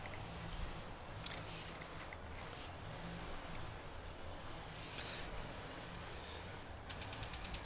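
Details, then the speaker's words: Gas barbecue grill (Char-Broil) replacement igniter module, button built into battery cap, bench-tested before installation: rapid sharp ticks about nine per second, spark visible across contacts; igniter sparking normally. "the clicking? That says it's working. And you can actually see a little spark jump across these contacts."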